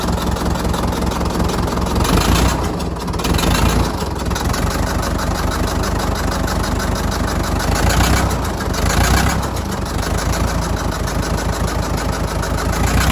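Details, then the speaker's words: Abandoned Fordson Major diesel tractor, unused over 20 years and recently revived, radiator just refilled: heavy, uneven idle chug whose beat wanders and dips every few seconds; rough idle, run longer to see if it smooths out. "so we're just gonna fire it up again and see if we can just leave it running for a little bit longer and just to see if it smooths out at all"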